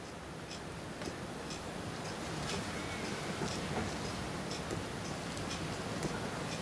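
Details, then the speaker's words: RCD smoking and burning out after a CFL lamp was switched on; button held down during the test: quiet, irregular sharp ticks and crackles over a faint hiss, a few each second; overheating RCD crackling, declared toast. "the smoke coming out of it now. Yep, the RCD is toast. Literally toast."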